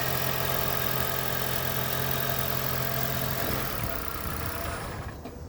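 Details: 2010 Toyota Prius petrol engine after its knocking and rattling was fixed: smooth idle with an even low hum and no knock or rattle, then it winds down and stops.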